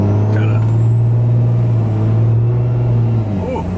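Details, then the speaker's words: 2014 Ram 2500 6.7 Cummins with 68RFE transmission, running CTT tune 5 via EZLynk while driving: heavy diesel drone under throttle with a thin, high whistle rising and holding above it; normal turbo spool. "Yeah, she's getting swirly."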